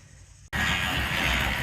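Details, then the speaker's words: 1998 Volvo V70 GLT AWD manual on jack stands, running in second gear: loud harsh grinding scream from the angle gear, where the transmission shaft's output splines into the angle gear sleeve are totally sheared; possibly dry, probably destroyed. "sound sound like it's coming from the angle gear I wonder if it's dry going pull the plug see if it's got oil but any rate it's probably destroyed"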